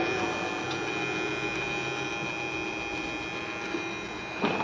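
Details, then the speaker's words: Microwave oven control PCB makes a steady buzz like a high-voltage line or transformer; cause is a defective relay, which is removed. "ऐसी आवाज़ आ रही जैसे कि high voltage line के नीचे कैसी आवाज़ ट्रांसफार्मर हाई वोल्टेज की, वैसी आवाज़ आ रही है। और इसका मसला क्या है, इसका प्रॉब्लम है ये रिले की प्रॉब्लम है।"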